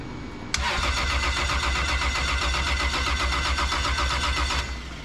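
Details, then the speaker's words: Toyota 2JZ engine on its first start after installation, clutch pressed while cranking: starter chatter with a bright metallic rasp from the clutch side. The clutch is suspected to be tight, not confirmed. "press the clutch and start metal noise sounds like tight clutch"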